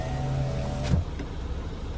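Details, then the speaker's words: Lada Vesta SW Cross passenger power window after greasing the regulator slides to cure a squeak when closing: smooth even motor whir, no squeak or chatter, no extra sounds; factory grease was insufficient. "Никаких лишних звуков. Да, на заводе походу мало смаз. Пожалели смазки."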